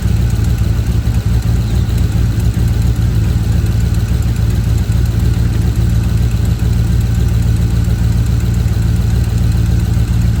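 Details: Ford F150 with a rough idle: deep, uneven, loping pulses about three or four a second. Timing chain issue suspected, not confirmed.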